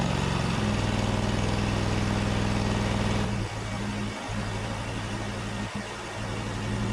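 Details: Snapper zero-turn mower with Briggs Vanguard 20hp V-twin, test run after starting system (starter/solenoid) work: even drone at high speed, then smooth drop to lower steady idle with no misses; normal running.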